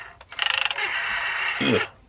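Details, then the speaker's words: Unused 1982 Telecom Australia 891 rotary dial wall phone: quick run of ratchet clicks, then a shrill squeaky grating as the dial winds back; dial sticking and not working properly, cause unclear. "The old bit here, look at the dial's not even working properly. It hasn't been used. You can hear it squeaking in there a bit. Ugh, making a bit of a grating sound."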